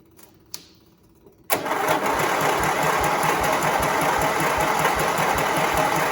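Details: Briggs V-twin engine on John Deere tractor, jump-wired battery; slow, even starter cranking that never catches despite confirmed spark on both cylinders; owner unsure, suspects cranking too slowly.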